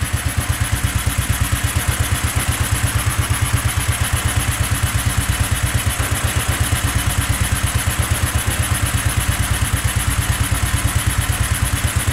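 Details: Go-kart small engine in snow, just above freezing, after sitting two days, hard cold start: low, chugging, slightly uneven slow idle, running rough while cold, then picking up a little.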